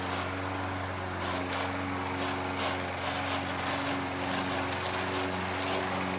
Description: I am mowing the lawn using an old Toro Recycler with a Bad transmission. So it is making lots of grinding noises as I am mowing.